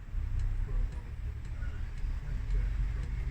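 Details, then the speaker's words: Diesel heater in a 2018 Mercedes Sprinter fitted with a BobilVans hot water kit, at startup: light, evenly spaced ticks about twice a second over low rumble as the fuel pump primes normally before the fan speeds up. "So I can hear the pump priming. It's about to accelerate the fan any second now."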